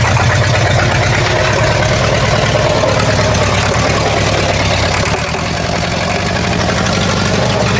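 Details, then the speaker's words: War Department roustabout crane on an International tractor, unrun for 35 years, started on lantern gas with a stick as belt tensioner, before exhaust and top water hose repairs. Uneven, lumpy chugging about three beats a second with irregular knocking; rough idle, cause unclear. "Possibly why it could possibly not sound very healthy."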